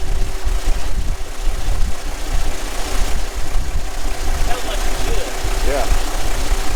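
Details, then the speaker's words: Kenworth T800 log truck diesel idling rough and uneven with sharp pops back through the intake; the mechanic thinks it may be popping all across, cause not pinned down. "That popping in the intake. I think it might be popping all across."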